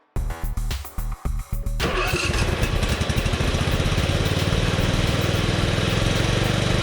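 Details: Husqvarna Z246 zero-turn mower during governor adjustment after replacing a governor spring: starter cranks, engine runs with uneven pulsing beat that won't settle; speed hunting, spring swap did nothing, cause unclear.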